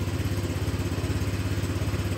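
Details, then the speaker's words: Honda Vario 125 LED scooter with an intermittent MIL code and a speedometer needle that does not move: a small single-cylinder putter at a steady, even pulse with no knocks or rattles; lights and horn normal; normal smooth idle. "juga normal lampu klakson lampu sein juga normal semua suara mesin juga halus"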